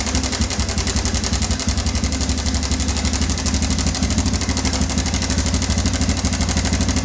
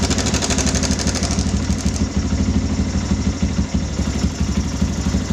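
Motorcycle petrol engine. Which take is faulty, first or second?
first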